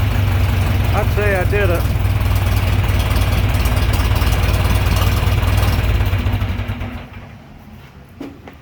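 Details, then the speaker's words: John Deere 3020 LP, repaired LP system, new head, reassembled: warm start catches quickly into a steady, even low idle, no misfires or knocks, then shut down; healthy running. "take it for a drive cold start this was a warm start"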